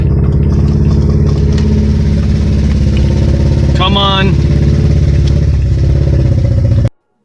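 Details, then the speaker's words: Toyota Paseo with a Magnaflow muffler welded on, stumbling and lumpy, sounding like a two-stroke, then cutting out and dying. Owner suspects water got in through the open intake and flooded the cylinders; water was later found in cylinder #1. "I tried to go my driveway and I couldn't make it listen to this one I it sounds like a two-stroke oh yeah something is not good the stars dead dying"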